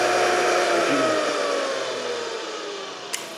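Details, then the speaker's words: Electric motor with a centrifugal switch for the starting windings and a capacitor: the hum drops as it coasts down, then one sharp click as the switch re-engages; normal switch operation. "that disengages it that's what that rubbing sound is is this arm rubbing on this piece of plastic here so you can hear the motor makes a different sound until it kicks in going up to speed and disengages"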